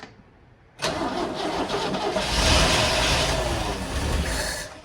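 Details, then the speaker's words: 1970 International Scout, first start in years, cleaned plugs, two-cycle gas poured in: starter grinds, engine catches with a ragged, uneven roar that sags and fades; rough stumbling start, owner suspects he flooded it. "Whoa, whoa! I might have flooded it. Try it again. Yeah, I keep flooding it."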